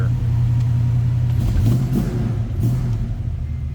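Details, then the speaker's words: 1967 Mercury Cougar XR7, 351 Windsor V8, automatic, idling just after a cold start, heard from inside; deep steady rumble, even beat, no knocks or ticks, healthy. "That was a cold start too, so I wouldn't expect the temp gauge to be up."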